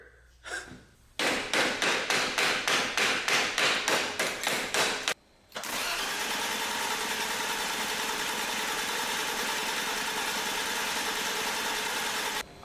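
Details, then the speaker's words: Barn-find BMW E34 with a bad starter needing tapping, torn idle control valve boot, vacuum leak: even starter chug about three beats per second for four seconds, never catching; fuel pump likely not delivering; cranks but no start. "crank it and see if any fuel comes out what the [ __ ] is going on"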